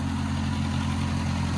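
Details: Old Oliver OC3 crawler outdoors warming up after manifold gasket change and carburetor adjustment: steady low even idle, no knocks, misses or rattles, barely any smoke; normal healthy idle.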